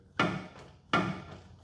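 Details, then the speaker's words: Helicopter tail rotor drive shaft pulled by hand during a check after heavy vibration in flight. Three hard, woody ka-thunks about 0.7 s apart show excess play from a worn bearing; the tail and rear transmission must come apart for specialized grease and a sleeve bushing. "As you saw, this was vibrating quite a bit, and on the check, you're supposed to pull it. Hear the ka-thunk, ka-thunk?"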